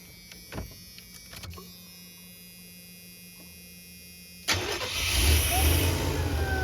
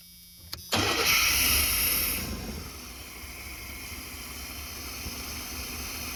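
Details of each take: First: Chevy G20 conversion van after an injector that wasn't squirting woke up and began squirting, codes 15 (coolant temperature sensor) and 44 (lean) stored: a few light clicks, then it catches at once and settles into a steady, even idle; starts and runs normally. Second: Chevy G20 conversion van with a freshened fuel system: catches after fuel is squirted down the throttle body, then settles into a hissy, slightly lumpy idle; running on only the left throttle-body injector, the other suspected stopped up.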